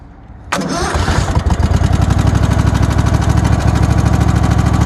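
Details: 1997 Craftsman lawn tractor with a 22.5 hp Kohler engine, started with the key. Cranks, catches, then runs rough with an uneven low thumping over the exhaust beat: an internal engine knock.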